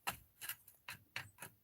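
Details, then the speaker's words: Arrma Fireteam RC diff bearing, only a couple battery packs old, with metal chunks inside: hand-spun, it gives five sharp, uneven clicks in under two seconds, catching and locking up instead of rolling freely. "yeah it's locked up that bearing is locked up [Laughter] yeah bearing feels like it's junk man"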